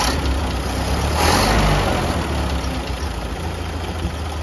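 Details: Late 1931 Ford Model A after fuel-system repair with lines reconnected and no leaks: once fuel arrives the four-cylinder settles into a steady, even low chug with no misses or knocks, running smoothly.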